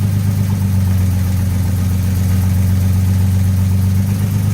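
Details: Rare 1947 Kaiser Special revived after a long slumber, now pulling fuel from its tank through the fuel pump: low, smooth, even idle holding a steady beat with no misses, knocks or hunting; normal idle.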